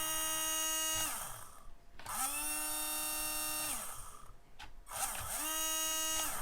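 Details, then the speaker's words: HBX Rampage 1/18 4WD brushed RC monster truck after debris blown out with compressed air and a few drops of oil in the motor: steady high whine in short smooth bursts; sounds much better. "I threw a couple drops of oil uh down into the motor blew everything out and the motor sounds quite a bit"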